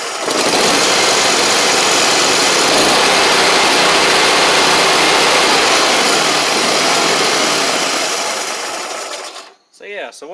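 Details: Gravely 260Z mower with a Kohler twin that had been dying, only running with the key held in start, restarted after eliminating the DSAI module; fires right up and holds a steady, even buzz for about nine seconds before shutting off; running normally.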